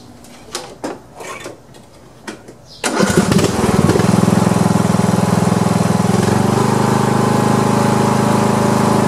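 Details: Poulan Pro lawn tractor being test-run after mower deck repair. A few clicks and cranking noises, then the small engine catches and settles into a steady, even run without misfires. Running normally.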